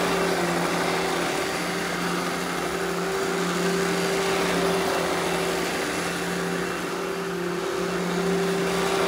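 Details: Eureka The Boss Smart Vac upright vacuum, model 4870 type GZ, bought secondhand, belt replaced; switched on for a demo: steady even motor hum, constant low tone and airflow rush, no knocks or rattles; normal smooth running.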